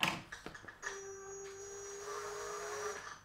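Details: Sensorless Castle Creations motor on VESC firmware 4.00 with high frequency injection, wheel held stalled by foot, throttle slowly applied: steady high-pitched whine with a lower hum; normal HFI position-tracking tone at zero speed.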